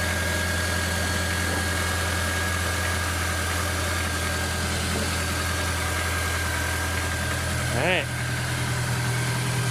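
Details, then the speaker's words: Honda S2000 idling after a self-installed Billman TCT (timing chain tensioner): smooth, steady idle with an even low hum, no ticking or rattle; sounds healthy. "And so that's basically it. Everything sounds good, nothing's rattling, nothing's breaking."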